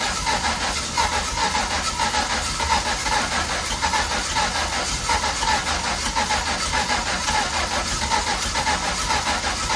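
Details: MK1 Ford Fiesta with Zetec turbo swap, first start after ECU fix: loud lumpy stumbling running with hiss, only two cylinders firing due to unplugged injector connector, needs 50% throttle, oil spewing out front.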